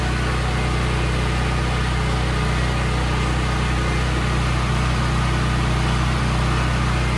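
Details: Brand-new Briggs and Stratton generator, 3.9 hours, after repair for bad surging (carburetor was clean; fuel cutoff solenoid involved): steady, even drone with no rise-and-fall hunting over several seconds; runs smooth now.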